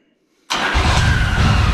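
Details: Yamaha Virago V-twin after replacing both ignition coils, wires, NGK 1K caps and spark plugs; engine catches at once and settles into a steady, even idle with no misfire or stumble, running healthy.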